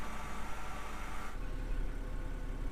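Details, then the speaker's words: 2007 BMW 328xi E90 N52, previously repaired for valvetrain ticking, cold start: steady, even petrol six idle with a low smooth hum and no ticking from the top end; normal idle, ticking gone. "nice cold start sounds perfectly normal"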